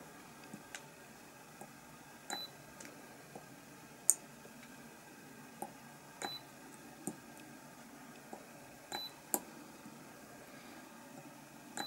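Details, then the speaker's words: Spot welder joining nickel strip to 18650 Li-ion cells (Molicel P28A, 2800 mAh) in a battery pack build, quiet room: sharp click and short high beep at each of about a dozen welds, gentle pressure; normal weld beep and click. "hear it click and that should be connected which is so that's our first connection done"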